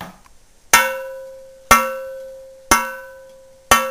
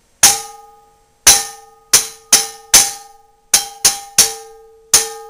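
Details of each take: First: Old cast iron Griswold frying pan, warm from oiling, struck four times: each strike gives a clean, long, evenly fading ring, unlike the buzz of a cracked Wagner pan; pan is uncracked. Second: Old Wagner cast iron frying pan, possibly 1890s, with at least three rim cracks found after an oven carbon burn-off. Struck repeatedly, it gives short, dull rings with a rattly buzz instead of a clean sustained tone: a cracked pan.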